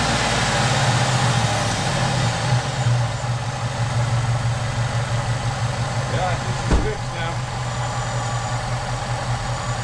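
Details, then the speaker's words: Supercharged (Edelbrock E-Force) LS-based 2008 Chevy Tahoe after lifter replacement: steady, even, smooth idle with no tapping or ticking from the top end, quiet valvetrain, no smells and no codes; normal idle. "Everything sounds good. I'm not hearing any noises. Really smooth. No smells."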